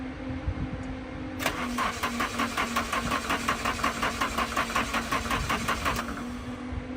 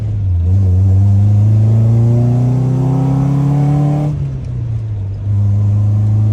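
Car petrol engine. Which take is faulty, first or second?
first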